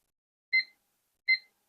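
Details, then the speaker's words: Kaon HDREC VM9130 satellite decoder that reboots and loses audio: removed burnt capacitor tested on multimeter continuity gives two crisp high-pitched beeps; capacitor is shorted. "Se escucha que está en corte."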